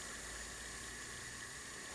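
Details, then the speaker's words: Mastercraft (MTD) 24-inch snow blower, 5 hp Tecumseh engine, bogs and stalls under load with low compression: faint steady hiss during leak-down test showing about 95% leakage, no change in pitch; exhaust valve not sealing, leading to a valve job. "other thing this is older leakage test does is if it is leaking you can hear it so you're either gonna hear it coming out of the carburetor which I don't the noise is not changing"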